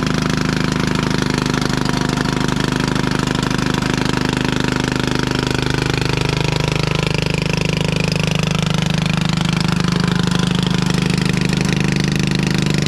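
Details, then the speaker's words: 1996 Craftsman LT1000 Turbo Cool lawn tractor, first start-up on carb spray: loud, uneven single-cylinder clatter about two beats a second with harsh exhaust bark; rough running, owner suspects head gasket or muffler; muffler later found cracked in two. "about as long as I want to run that in its condition super loud you know it looks like the muffler's all there I wonder if we got a head gasket issue"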